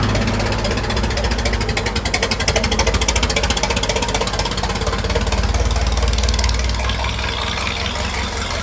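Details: Restored 1921 American LaFrance fire engine driven down the street: a quick, even firing beat from the big old petrol engine, steady and free of knocks or misses. Healthy running.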